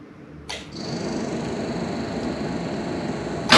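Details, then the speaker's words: Mazda RX-7 FC3S with a newly installed Compustar CS920-S remote start: brief crank, then engine catches and runs evenly with no continued starter grinding; remote start working, clean start. "Beautiful. It's working. And it's not grinding because the starter's not running the whole time."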